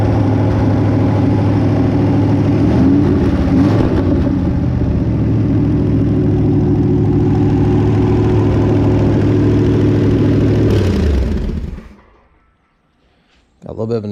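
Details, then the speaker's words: Barn-find 327 V8 stored since the early 1990s, running on a run stand: even idle with a quick steady tick about four a second over the rumble; small exhaust leak present, valvetrain noise also suspected, not confirmed. "of an exhaust leak in here but uh I think it's more than that I think I am feeling a little hearing a little bit of valve train noise"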